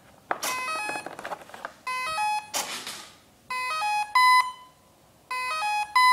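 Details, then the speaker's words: Generic RC ESC powered up with the throttle stick left high and not lowered in time: clear electronic beep tunes in repeating groups with no motor running, as the ESC enters programming mode. "okay so now it's gone into program mode and all these beeps are telling you different things that are going to change"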